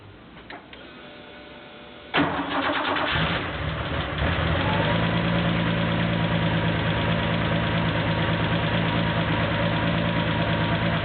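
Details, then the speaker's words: Porsche 911 2.7 L flat-six, early S cams, twin plug, 46 mm PMO throttle bodies, Tec3 management, final restart after throttle synchronization: cranks briefly, catches quickly, then settles into a steady, even idle with a smooth beat; throttles well balanced, normal. "I think that about does it I'm going to give it one last start just to see how it starts up"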